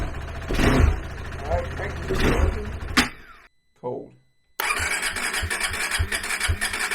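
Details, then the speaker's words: KTM 390 Adventure just after the PowerTRONIC ECU was plugged in: it catches roughly, sputters, cuts out, then refires into an uneven low thumping idle. Hard start and stalling; owner suspects air in the fuel system after removing the tank; it started only with wide-open throttle. "I think where it didn't want to start and it shut itself off, I think that's where I took the fuel tank off and there was just air in the fuel system. Because it didn't want to start until I gave it wide open throttle."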